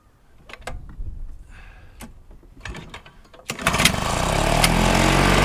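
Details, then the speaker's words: Flymo L47 two-stroke lawnmower on 25:1 mix, a former non-runner, started on choke: a few dry pulls, then it catches and runs rough and uneven; owner suspects a part-blocked carburettor jet. "Fantastic. It's not running 100% right. I've got a feeling it's that jet, but I may invest in a new carburetor for it if I can't get that jet out."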